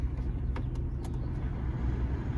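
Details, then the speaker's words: 1993 Jeep Cherokee blower fan, which previously ran only on Hi, now working again; steady low whir with no squeal or rattle, running smoothly on this speed setting. "Turn it on. Now it works."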